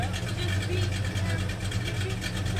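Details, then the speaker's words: 1973 Plymouth Scamp V8 idling just after its first start since 2004: a deep, smooth idle with a slight rhythmic lope in the exhaust pulses from the cam, steady with no misses. Normal idle with mild cam lope. "it's so smooth right it really is oh man it's got a good little lope"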